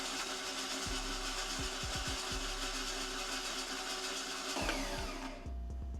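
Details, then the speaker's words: Ford engine cranking without ignition on a bare flexplate, no torque converter or flywheel to dampen it: steady whirring crank with a thin metallic ring, about 55 psi cranking oil pressure; nothing wrong. "so it's a little tiny when it's cranking because there's no torque converter bolted to it to dampen the sound not like there's a flywheel in it that would also dampen as well"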